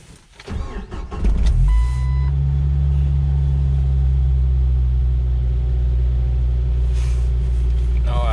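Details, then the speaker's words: 1997 Jeep Wrangler after erasing throttle/pedal position sensor codes; catches after short crank into a steady elevated drone that won't drop below 1000 rpm, rpm fluctuating; throttle position sensor suspected failed. "still at a high idle so it's trying to come down apparently the sensors just went all the way bad"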